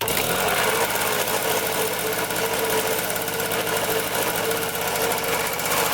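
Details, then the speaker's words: 1974 Honda Elsinore MR50 two-stroke, fresh fuel mix after air-leak tests and a carburetor teardown: steady buzz with ragged, uneven firing; running rough and wanting choke again. "Let's see if it starts up now. Wants to choke again."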